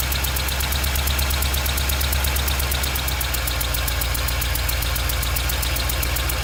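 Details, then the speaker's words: Golf cart engine (old Club Car) idling after a cross-threaded spark plug stripped the head threads; sharp puffing hiss on every firing stroke as compression blows past the plug, and the motor is losing compression. "so now my motors losing compression that spark plug head is completely stripped out I do have a spark plug in it right now but you can hear the air escaping"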